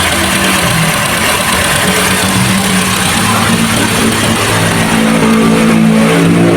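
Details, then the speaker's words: GAC GN6 270T engine during PMS oil service (about 4 L oil): steady, even idle with a smooth hum, no knocks or misses, light shop noise. It runs well but cranks a long time before starting; the fuel pump is suspected. "Ganda naman ang andar eh. Kaya nga lang mahaba yung redundo niya bago umi-start."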